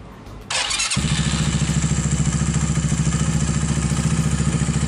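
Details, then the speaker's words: Viar 150 single-cylinder motorcycle after repair of a loose cam chain that caused engine clatter: fires up and settles straight into an even, smooth idle with no clatter from the cam chain area; normal idle. "jadi mesinnya sudah kembali normal dan halus teman-temannya"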